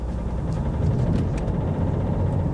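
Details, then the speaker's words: Mercedes S-Class diesel on a long road trip, with a flashing glow plug light and slight misfire: a rough low drone with faint, irregular sharp ticks on top. The owner says it has quite a bad diesel injector knock. "it does have quite a bad diesel injector not this listen to this"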